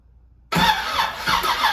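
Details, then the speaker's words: Chevrolet Z28 cranking for the first time after reassembly, on fresh 93 fuel from a small temporary tank, ignition disabled during spark check: a rhythmic starter chug spins the engine freely with no firing; it did not seize. "well it rotates over so that's good yep yep did not lock up hey it didn't seize that's nice"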